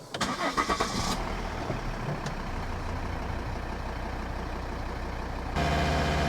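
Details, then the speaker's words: 2012 Volvo XC60 D5 AWD diesel, another restart after fuel filter change: catches and holds steady idle with a faint RPM waver the owner attributes to a little air still in the fuel system; he is happy with it. "Yeah, I can hold it at a specific RPM and it will do it. When it's still bleeding, you'll watch and the RPM will just waver ever so slightly because there's a little bit of uh air still in the system. But I'm happy enough with that."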